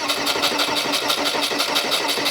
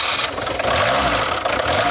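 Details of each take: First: VW T25 camper van: starter cranks at about three turns a second for nearly three seconds, tried without the glow plug relay, and the engine never catches; no-start. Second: VW T25 camper van diesel after a no-start traced to the glow plug relay; short crank, then catches and settles into a steady even idle, very smoky as ever; normal diesel start.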